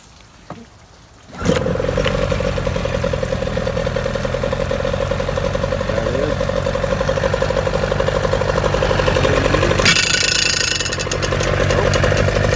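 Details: 1997 Johnson 15hp two-stroke pull-start outboard with front shift, freshly tuned up with carburetor serviced: pull-start catches at once, then a steady crisp two-stroke buzz with even firing and a light throttle blip; runs clean and healthy.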